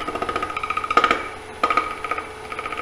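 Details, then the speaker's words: Square bowl on the lathe: the gouge heel rides the spinning square corners (wood, then air) with fast even tapping, "da-da-da"; when the noise stops, turn the gouge slightly and cut in. "is to put the heel of the gouge against it and come out. It goes da, da, da, da, da, da, da, da. When it stops doing the noise, and you turn it slightly and go back in."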